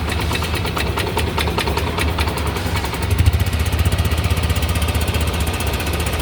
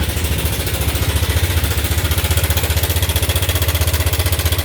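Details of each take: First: Yamaha Nmax scooter at 79,000 km after rebuilding top and bottom end with a 60 oversize piston: quiet even idle, steady low putter, no knocks or rattles, no engine light, revs normally. Normal idle. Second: Yamaha Nmax scooter, no engine warning light, before rebuild: loud fast even clatter about four beats a second over idle, heavy mechanical knock. Worn engine top and bottom end.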